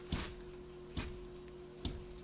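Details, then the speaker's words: Truck front wheel, two lug nuts hand-tightened, rocked in and out by hand: three dull clunks about 0.85 s apart from play in a worn upper ball joint, to be replaced along with the lower. "you may even be able to hear it clunking what that is is that is a bad upper ball joint"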